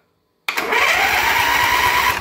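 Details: Swisher 2760B zero-turn mower during electrical diagnosis, solenoid control pin jumpered directly: sudden steady, rapid starter cranking with an even chug. The solenoid is good; the fault is suspected at the key switch.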